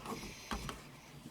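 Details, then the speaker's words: 2009 Honda Civic LX sedan 1.8L, new aftermarket passenger sun visor: a few soft clicks and a light rub as it swings, far less creaky than the broken factory one; visor pivot moves normally. "But this one's not nearly as creaky. This one actually works pretty good."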